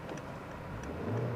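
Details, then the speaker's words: Hyundai Tiburon Turbulence (about 2000) with the Beta engine at 129,000 km, weak battery, bought for restoration: clean, smooth rev climbing evenly with no knocks, ticks or misses; engine and transmission in very good health. "맞아, 이 소리야. 이 엔진 소리야."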